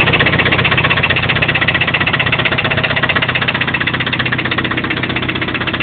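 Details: Toyota 22RE truck engine idling with a steady, even knock about four beats a second; owner unsure whether it comes from the rocker assembly or deeper in the block.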